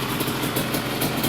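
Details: Restored Yamaha Banshee two-stroke quad with billet crossover and aftermarket chimney exhausts: crisp, even burble with quick steady ring-a-ding rhythm, no misses; healthy idle.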